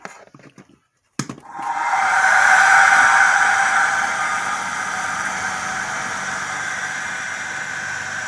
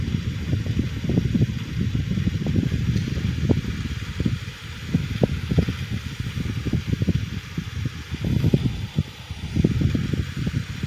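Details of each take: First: Blower fan salvaged from a Hunter heater, rewired and cleaned, first power-up: click then steady whirring hum with a faint regular wobble; slight imbalance, and owner thinks the motor could use oiling. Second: Blower fan salvaged from a Hunter heater, after rewiring, cleaning and servicing: low, even hum with scattered light clatter and slight residual rubbing; runs smoothly, blows and sounds better than before, good spin-down.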